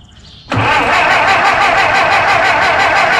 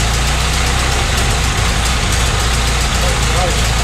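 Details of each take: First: 1925 Ford Model T C Cab with distributor conversion, unrun for a couple years, touchy ignition key: hiss then even chuffing about three beats a second, cranking without firing; fuel tank found completely empty. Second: 1925 Ford Model T C Cab, mostly stock with distributor conversion, first run after sitting a couple years: quiet, steady low four-cylinder chuff at idle, expected to burn off some oil, running happier with a little more spark advance; normal idle.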